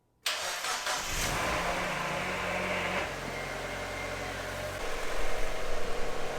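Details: Abandoned Mazda Miata first start after fuel pump priming issue: short crank, then it catches and settles into an even idle with a light blip; starts and runs normally.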